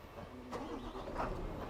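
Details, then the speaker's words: Mitsubishi Fuso Fighter X truck: brief crank, clean catch, quiet even idle with no knocks or rattles. Normal start and smooth idle. "Kenapa saya nyalain mesin? Aduh, mesinnya halus banget ya."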